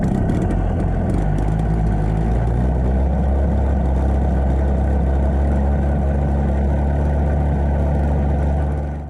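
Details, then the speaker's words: Classic Victa 18 two-stroke lawn mower, first start-up after purchase, throttle about halfway, started on second pull: catches and settles into steady buzzy even run, no misfires or hunting, then shuts off cleanly; leaking. "That was interesting. It started on the second pull. Very happy with that idea."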